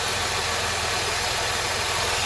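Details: Engine idling high with codes P0507 and P0456 (EVAP small leak): low, even rumble under a constant airy hiss from a split purge valve hose, believed to be the small EVAP leak.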